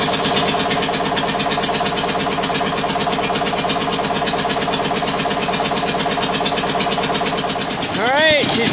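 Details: Witte single-cylinder diesel generator, run from the late 1940s to the late 1970s, first start in about 45 years: slow, even thumping at roughly two beats a second, steady and unbroken; the old diesel runs smoothly.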